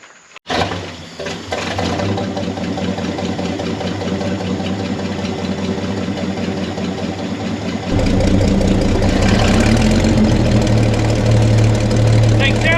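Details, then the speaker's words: Chevy C30 pickup off the road since 1978, inline six: starts and idles evenly, then steps up to a faster steady run with a light tappet tick. Good oil pressure, charging, belt flapping slightly. Normal idle. "Sounds like a tippy-tappy little inline 6. Belt's swinging apart a little bit."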